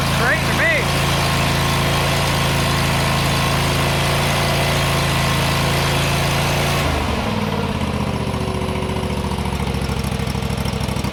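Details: John Deere GT245 mower that was running rich and misfiring, running with the air cleaner removed: steady, even idle with a firm low throb and no stumbling or misses; runs better, confirming excess fuel; normal idle.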